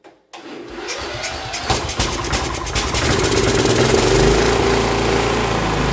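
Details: Cub Cadet LT1045 yard tractor (Kohler Courage 20) after new carburetor, fuel line and spark plug: with a little choke, cranks, catches within a second and settles into an even idle; previously surged badly, now no surge.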